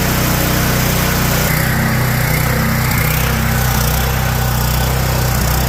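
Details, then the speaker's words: Generator with a Kohler engine that was surging power and may have fried a microwave: it idles unevenly, its beat drifting up and down. Surging idle, attributed to a leaking idle jet; a GX390 carb is to be fitted. "all right well we managed to go and figure out his concern point of it is surging at idle"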